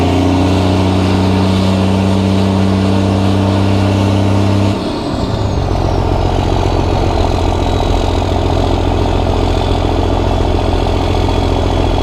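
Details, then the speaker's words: Cummins diesel truck, first start after upgrades incl. new injectors, hot-rod VP44 pump, Banks intake elbow: steady deep idle with a short throttle blip, even firing, no knocks or misses; sounds good, slight black smoke. "all right so it sounds really good and I don't know if youall guys can see I haven't watched this video yet but I could see a little bit of black smoke coming out of the tailpipe"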